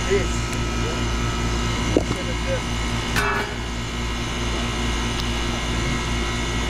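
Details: Old York condenser after replacing the defrost control board and contactor (fan motor previously not running): steady low compressor hum, even fan drone and light clicks; running smoothly, superheat coming down.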